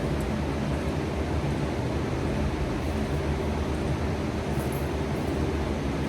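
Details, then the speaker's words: 1991 hearse with a rotted fuel system, cranked after adding 2.5 gallons of fresh gas and a new fuel filter: steady, heavy cranking drone that never catches; throttle body suspected. Crank, no start. "So we're gonna give it a little giggle gas and see if that'll help it out."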